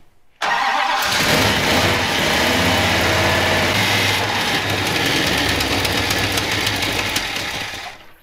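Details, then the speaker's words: 1967 Dodge Coronet with newly installed engine at first start: loud raspy idle with sharp uneven ticking about twice a second, some stuff burning off; exhaust header leak, pushrods still to check. "huh headers leak we got to find some push rods burning a little stuff off just some minor stuff and then we can fire it up"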